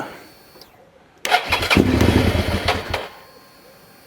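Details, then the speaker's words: 2003 Suzuki SV650 with a newly fitted fuel pump fires and revs raggedly for under two seconds, then cuts out while the pump still hums; owner suspects debris drawn into the injectors, to be cleaned. "it cuts out. Cuts out. Cuts out. You can hear the fuel pump going. So, I think what's happened is it's dragged a load of rubbish into the injectors."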